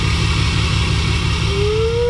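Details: Diesel truck just restarted after a FASS 165 lift pump install, after long cranking to purge air sucked into the fuel system: heavy, steady low rumble with an even beat and no misses; running smoothly.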